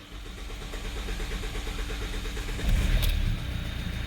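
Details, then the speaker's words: 2015 Hyundai i30 diesel with a cutting-off problem, electric fuel pump priming after work: brief starter churn, catches within a couple of seconds and settles to an even idle around 850-900 rpm; clean start. "there we go it did start up actually right after a few turns because it's an electronic pump you know normally it has the manual pump on the fuel filter this is electronic one Happy Days it's running"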